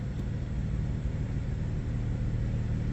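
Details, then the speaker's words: Crashed BMW M2 six-cylinder after reconnecting the deliberately undone plug; now running on all six cylinders instead of five, steady even deep rumble without skipping, though a drivetrain fault warning remains. "Sounds like a different car. It doesn't sound as good to be fair. Um, now we're running on all six cylinders and not five."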